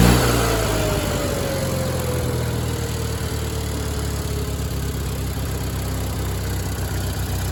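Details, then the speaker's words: Miller Bobcat 225G welder-generator, idle for years, after starter solenoid, ignition pickup, alternator and fuel pump work and an oil and fuel line change: settles from start into an even, smooth drone, no knocks or misses; generating fine, idle possibly low, slow to warm. "Uh, it was generating good. Um, my idle set might be a little bit low and that's quite took a little bit to warm up, but uh, it works."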